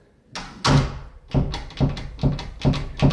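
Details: Closed door rattling in the wind, knocking in its frame as the latch has excess clearance in the strike plate; fixed by slightly bending the strike plate tongue.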